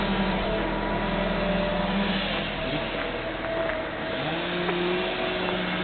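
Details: 1998 Honda Civic four-cylinder, cold idle, codes P0300–P0304 and P1399: uneven, stumbling beat with irregular dips, random misfire only when cold; new fuel filter, NGK plugs, rotor and PCV valve and timing adjustment didn't fix it.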